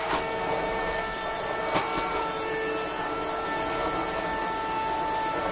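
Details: Shark CV100 cylinder vacuum cleaner running: constant droning hum like a chain of horns, several steady tones over the motor whine; cause unknown.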